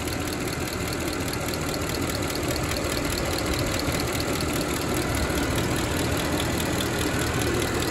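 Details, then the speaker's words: Mercedes ML63 AMG M156 V8, head bolts, lifters and cam adjusters done about 121,000 miles: light quick lifter tick from driver's-side bank over steady idle, before oil change with Ceratec additive; valve train tick at idle. "not horrible but yeah i'm definitely hearing it from this side so we'll see we'll see what the oil change can do for it"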